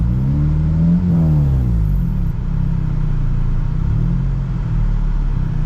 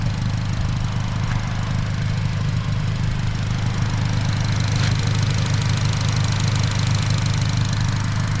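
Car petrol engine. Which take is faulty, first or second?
first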